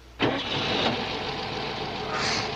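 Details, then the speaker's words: 1996 Toyota MR2 mk2 barn find, 23 years old, petrol, first start after revival: engine catches and settles straight into a steady, even run with no knocks or misses. "The MR2 lives. Look, it's running sweet."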